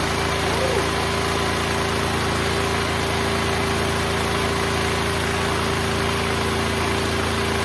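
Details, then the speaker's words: Neglected Duromax XP12000EH dual-fuel 12,000 W portable generator, pull-started due to starter or solenoid issue: steady, even engine drone with constant hum, no misses or knocks; running smoothly, voltage output not yet checked. "So the generator is up and running, but now let's check if it's producing the right voltage."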